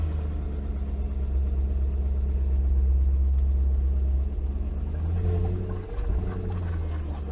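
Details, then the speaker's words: 2001 BMW 540i Touring, first start after fitting high-flow cold air intake, air meter and throttle body: deep rumble, rough and uneven at first then evening out, no clear knock; something sounds off, not seized, cause unknown. "Well, that doesn't sound great. Hey, that evened out."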